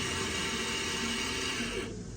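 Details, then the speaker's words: 2016 Citroën C4 Grand Picasso electric parking brake actuator bench-powered directly from an external battery: smooth even high whir for under two seconds, then a clean stop. Actuator motor works electrically; faults later found in the actuator and wiring harness. "S'il se met en route, c'est que déjà le moteur, la partie électrique il fonctionne."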